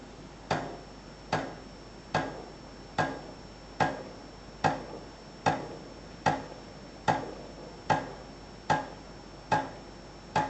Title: Ascaso dream clicking noise